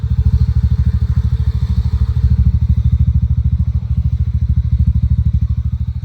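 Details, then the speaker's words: TVS NTORQ scooter after one-way (starter clutch) replacement to fix loud noise: steady, even low putter at idle with no clatter or knocking; noise greatly reduced, engine now smooth and healthy. "Noise काफी कम हो गया guys. और एकदम आवाज एकदम smooth आ रही है।"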